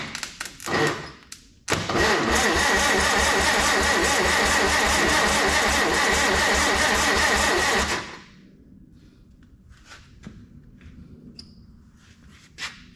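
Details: Farmall 300 tractor engine just rebuilt, starter jumped at half throttle out of gear with spark but no fuel: starter spins it briskly with even, steady compression pulses for about six seconds, no firing; normal cranking.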